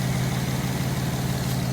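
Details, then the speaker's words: Infiniti G35 beater at idle after plugs checked, vacuum leak fixed and codes cleared: steady low idle with a faint puffing tick from underneath; small exhaust leak heard under the car. "there is a bit of an exhaust leak you can hear it underneath"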